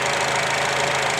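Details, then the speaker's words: 2004 Acura with 2.4 i-VTEC DOHC engine, previously shaking with misfire codes P0301–P0304 on all cylinders, now idles steady and smooth with no stumble after the fix. "as you can see here the motor sounds good no more problems"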